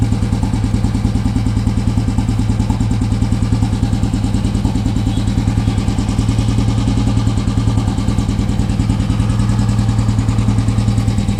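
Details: Royal Enfield Himalayan single-cylinder after its dead battery was jump-started with wires from an old Bullet (a recurring problem): steady, even thump at about three beats a second, deep and unchanging; a healthy idle.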